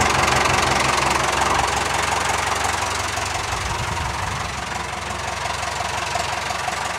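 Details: 990 diesel just reassembled after a cylinder head and valve seat rebuild, running warm at a steady fast idle; oil weeps at the back where no gasket is fitted and it isn't tightened down. Even clatter with no misses or odd knocks; it runs properly after the rebuild.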